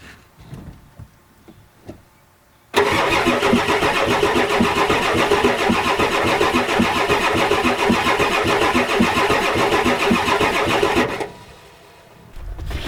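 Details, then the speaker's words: 1993 Ford F-250 7.3L IDI diesel on ether with a weakening battery: it cranks steadily for eight seconds but never fires. The glow plugs are not working (disconnected, boots burnt, relay not clicking); a bad return line, O-rings or injection pump are also suspected. "well I turn it on now the relay don't click like I did so the goal plugs are not working that's the problem"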